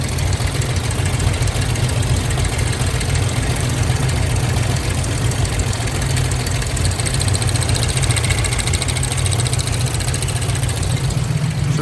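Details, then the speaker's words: 1997 Lincoln Town Car Signature at idle; uneven loping beat, dead-cylinder misfire: unplugging number one coil changes nothing despite strong spark, possibly fuel starvation. "we've got lots of Fire coming out of these coils but when we pulled the number one or that first one it comes over here and there's nothing it doesn't change the way the motor runs at all"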